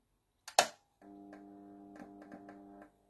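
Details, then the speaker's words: Philips TLD 18W/16 yellow T8 fluorescent tube, made in the Netherlands, not found in its box: a click at switch-on, then a faint buzz with irregular ticks in the tube; it still lights, cause unclear. "Ah bah, il fonctionne malgré le bruit que j'entends dans le tube. À mon avis, un tube actuel n'aurait pas survécu."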